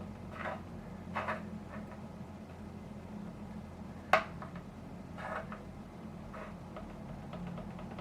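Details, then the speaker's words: Parts-caster Telecaster with a Fender Mexico neck, frets checked with a short straightedge before fret leveling: a few light scattered ticks as the straightedge rocks over a high fret, one of several high frets found. "You can hear a rock. It's the reason I brought the camera down, so you can hear the rocking."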